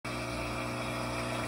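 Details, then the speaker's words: Samsung dishwasher from 2015 with a pin-hole leak under the tub gasket: steady, even drain pump hum with no pause, a slight gurgle as it tries to stop after power is pressed; it senses standing water and the drain pump runs continuously. "Something is going on that thinks that there is standing water. Even when I hit the power button, you can hear like a little bit of a gurgle on the pump as it's trying to turn off."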